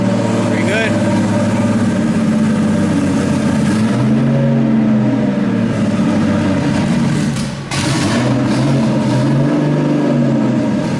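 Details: RB26-swapped Subaru WRX, started on a starter pack after oil cooler and filter relocation: catches and revs unevenly, sags and nearly dies, then picks up again. The owner suspects the tune or air-fuel target, not confirmed. Stalling after start.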